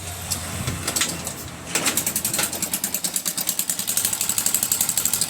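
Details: Access 125 scooter with no-start from low compression, after loosening and adjusting tight valve clearances: after a few cranking tries it catches and settles into a quick, even ticking run with crisp valve clatter, no misses.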